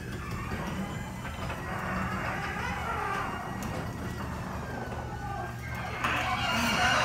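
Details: Up-close recording of a Genie garage door opener, squeakier and louder than the two earlier recordings because it was run earlier in the day: motor drone with rising, wavering high squeals from the door as it travels, louder near the end. Badly squeaking garage door.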